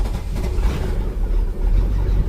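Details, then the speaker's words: 2003 MerCruiser boat engine that would not run, after refilling an empty fuel tank (faulty fuel gauge float): deep, steady burbling idle with no misses — no-fuel cause confirmed, normal idle. "there we go listen to that confirmed fix no fuel"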